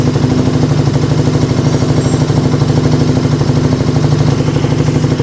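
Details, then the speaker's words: Used motorcycle inspection, heard with a stethoscope: loud, steady, even firing at idle with no clatter or stumbling; idle holds stable after revving, cold and warm starts immediate; engine healthy. "el ralentí también se encuentra en buen estado porque vemos que se mantiene no está inestable se acelera y se desacelera se mantiene ralentí sin ningún problema"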